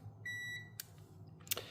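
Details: Automotive relay on a Mitsubishi Eclipse 2G GSX fuel pump rewire, bench-tested with 12 V applied and a multimeter across terminals 30 and 87: steady continuity beep for about a third of a second, then a sharp click as the relay closes; normal operation.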